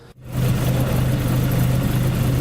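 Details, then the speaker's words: Toyota AE86 4A-GE after installing Martelius header, Fujitsubo exhaust, new test pipe, gaskets and hardware: steady low idle, even deep burble, no ticking or puffing from joints; exhaust leak sealed. "it's a lot quieter down here now. So looks like it's all sealed up."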